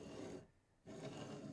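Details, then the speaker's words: Original Prusa i3 Mk2 3D printer during kit assembly: the aluminum plate carriage is hand-pushed for two smooth, dry rasping strokes as the linear bearings roll freely with little effort; normal bearing noise. "and you can hear the bearings Make some noise so I would imagine that's going to make some noise uh but it does it does move uh fairly easily"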